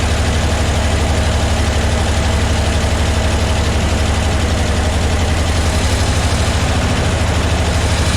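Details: 1975 Ford F750 pipeline truck after sitting, with cleaning fluid and stabilizer in the fuel: lumpy, uneven idle pulsing about four times a second with a wobbly beat, struggling to keep running; better than before, cause unconfirmed.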